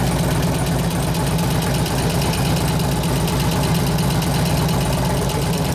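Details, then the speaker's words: 2004 Harley FLHT Twin Cam 88 after cam change with new lifters: even idle with a fast, light tick following engine speed. About half the noise has gone; owner suspects one lifter, maybe both, not fully pumped up. "about half that lifter noise went away but it's so maybe one maybe both the pumping and one's not only one now"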